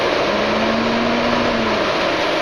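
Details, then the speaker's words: BMW cooling fan, fan switch connector jumped from pin two to pin one: steady electric whir as the fan runs normally, proving the wiring good and the fan switch, which caused overheating, bad. "one and you can he hear the T fan turn on and"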